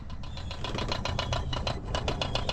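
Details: Sea-Doo Wake Pro 230 at key-on after reconnecting a disconnected battery: rapid mechanical ticking whir, about eight pulses a second, as the electronic throttle body self-tests; start button then does nothing, wiring or steering harness suspected.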